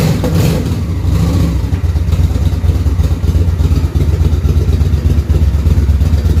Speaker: Well, it runs. It's running on one cylinder currently. The other one's trying to kick in.